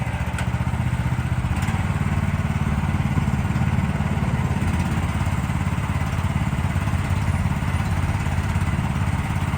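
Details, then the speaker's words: 2024 Lanty LAT-13 mini excavator, new and unused, gas engine: even, steady low putter with a regular firing beat and no knocks or misses; runs healthy. "Gas motor. These ones here are very smooth to operate, pretty simple."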